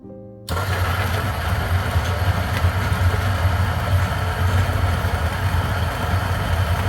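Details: 1zpresso K Plus hand grinder at setting about 11¼, grinding for Turkish coffee: steady, even low hum with no straining or pitch drop; grinding normally.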